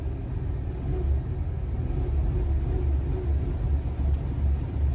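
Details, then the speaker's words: 2006 Chrysler Town and Country van running rough and shaking at idle after new spark plugs and wires: deep rumble with an uneven throb about twice a second, engine stumbling; misfire later traced to a failed ignition coil pack. "this car is still shaking so um there might be something else but at least i did the spark plugs so maybe i'll look at the ignition coil next"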